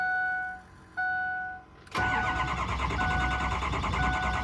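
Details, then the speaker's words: Built 6.0 Powerstroke after coolant was found over the engine bay, retried after sitting about 20 minutes: two warning chimes, then the starter cranks steadily with no firing; only about 300 psi high-pressure oil while cranking; crank, no start. "waited about 10 seconds, tried to start it again, and it will not start."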